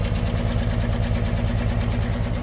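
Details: 1964 Olson Kurbside stepvan, 223 Ford inline-six, first run after sitting 29 years, choke held: even, steady low thrum with a regular pulse and no knocks or misses; the six idles smoothly.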